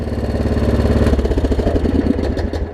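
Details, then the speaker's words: Troy Bilt Pony riding mower, 2014 engine, after its no-start was fixed (loose starter solenoid connection, new battery): even low putter at idle that winds down and shuts off cleanly, no pop or backfire; normal idle. "Very nice. All right. Idles down good."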